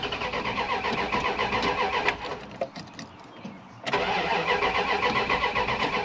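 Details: Dodge Ram 1500 project truck, towed in, first start attempt with key, battery charged; owner unsure of original problem, plans to check fuel pump. Starter spins at a steady rapid rhythm, pauses, cranks again, never catches: cranks, no start.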